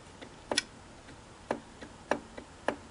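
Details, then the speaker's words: Singer model 457 sewing machine, hand wheel and horizontal arm shaft rocked by hand: sharp, light clicks every half second to second; clicking from arm shaft end play, loose adjusting collar against the bushing. "here's what's wrong this is like a collar that goes around the arm shaft and butts up against the bearing or bushing where it goes through the casting"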